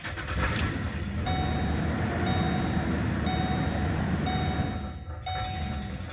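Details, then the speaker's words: 2008 Ford Explorer 4.0L V6 at idle with no throttle input: engine speed sags and recovers on its own, can't hold idle, door chime pinging; owner found damaged MAF sensor wiring harness, replaced plug harness, MAF sensor and air filter. "If you start it up, it cannot hold a good idle."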